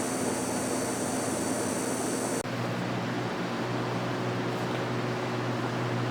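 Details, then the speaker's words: 2003 Apple Power Macintosh G5 (first version of this case, Hitachi 500 GB drive) during network activity: a cluster of shrill steady whistles over fan hum that cuts out abruptly, leaving only the fan; coil whine is suspected but not confirmed. "the coil one on that is nuts oh it stopped oh now it's started"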